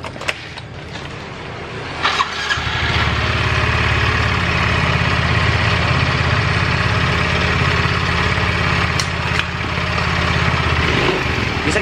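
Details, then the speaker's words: Yamaha Mio Soul GT 125 automatic scooter, recently had block and cylinder head work elsewhere, starts and idles with a harsh, tinny rattling noise and tends to stall. "kita hidupkan dulu motornya ini suaranya kemerizik sekali sobat"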